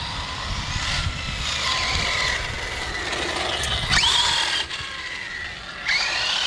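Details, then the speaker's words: Arrma Outcast 6S RC basher on road tyres: bursts of rising motor whine with gritty crunching under throttle; owner hears a crunchy diff and says it sounds like the center diff needs replacing. "That thing got some crunchy dip. Yeah, that's in a dip. It's crunchy."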